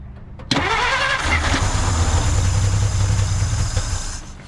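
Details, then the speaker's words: 1950 Dodge Meadowbrook that sat for unknown time, fed gasoline directly: starter catches, engine fires and runs unevenly briefly, about half a second to a second, then fades and dies, likely starving for fuel. "All right, as you can hear, it ran for 0.5 seconds, so we're making progress."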